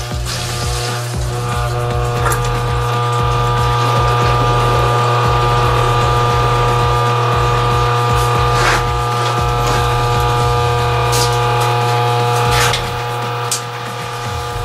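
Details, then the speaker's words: Well pump restarted at the breaker after a new pressure switch and gauge were fitted; a steady low motor hum with water moving as pressure slowly rises and the bladder tank (about 30 gallons) fills; set for 40–60 psi; running normally. "you can hear up in here in this well tank there's a big huge balloon in there it looks like a bladder and in that bladder it'll fill up probably hold about 30 gallons of water"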